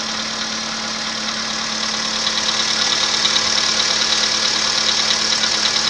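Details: 2015 VW Polo Sedan 1.6 85 hp, 24,200 km, cold start: fast, regular metallic ticking knock about three per second over steady idle; knock appeared at 14,000 km, cause unconfirmed.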